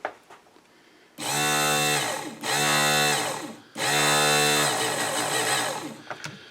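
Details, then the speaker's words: Snow blower chute winch motor run with its gears removed to check the motor and bearing, since the assembled unit makes a growly, crunchy noise. Clean, steady high whine spooling evenly; the bare motor sounds fine. Gears to be greased. "doesn't sound too bad so i'm just going to get some grease and grease all these parts"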